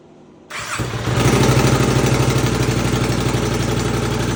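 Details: 2020 Can-Am Outlander 570 crank-no-start, after new piston rings and gaskets; ignition wires swapped because it sparked at wrong time; quick crank, catches at once, settles into even steady idle, no misfire or knock: normal start and idle.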